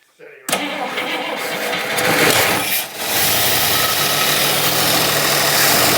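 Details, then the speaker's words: Barn-find 1960s Bristol 408 with carbureted Chrysler 5.2 V8 and mechanical fuel pump, just started on a squirt of fuel: rough, uneven idle, said to be running on maybe six or seven cylinders; a misfire. "about three that's running on maybe six or seven doesn't matter it's running it well fantastic fantastic"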